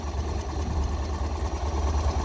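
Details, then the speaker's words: Six-wheel-drive vehicle with an air-cooled four-cylinder hemi-head engine fed by two throttle bodies with dual 30 mm blades, exhaust through a Flowmaster muffler and heat exchanger. Started after repair work and long sitting, it gives a low, even idle burble, all four cylinders firing with no misses. "See her running there, and we've got a nice exhaust note hitting on all 4 cylinders."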